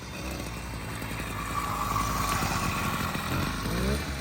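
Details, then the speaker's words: Newly built 80cc two-stroke kit-engine pedal bike, just started: an uneven, popping low idle that barely stays running; those present suggest it needs more warm-up and possibly a higher idle. "You definitely have to warm it up more. Yeah, I think you might need a little more idle too."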